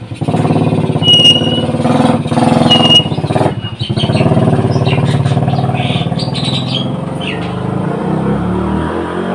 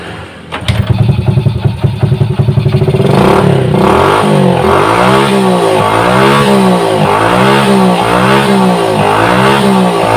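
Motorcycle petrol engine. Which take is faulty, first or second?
second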